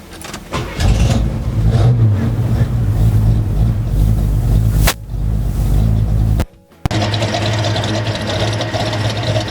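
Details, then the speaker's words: Restored 1970 Chevelle SS454, 454 cid big-block V8 rated 360hp with Turbo 400 automatic: deep, heavy rumble after the start, steady with a brief lift in revs, no knocks or misfires; normal healthy running. "As equally great looking as this car is, wait till you hear how great it sounds."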